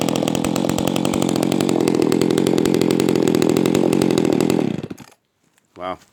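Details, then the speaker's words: Echo 280E top-handle chainsaw, first start after 10 years unused: strong even two-stroke roar, deep for a small saw, holds steady then cuts cleanly; idles well without stalling. Normal running. "she sounds good I love that sound it's a nice deep sound for a small small saw yeah she runs good not bad for not running this whole time so and Idol's really good too"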